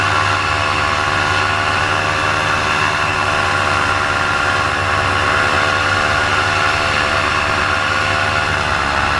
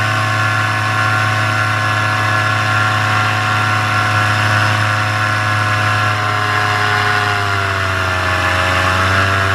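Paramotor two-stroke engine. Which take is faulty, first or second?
first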